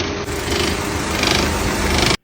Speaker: Esse barulho é daquela hélice que fica no eletroventilador do radiador,